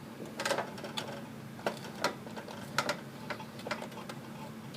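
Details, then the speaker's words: Riding lawnmower steering turned left and right, sharp irregular pops about twice a second, filmed from underneath with deck removed: steering-shaft pinion travels across and skips the sector gear teeth instead of staying engaged. "As I'm turning the steering wheel left and right, small gear is traveling across larger gear, and it should be stationary. But since it's being allowed to travel, it's circling the gear teeth rather than engaging the gear teeth."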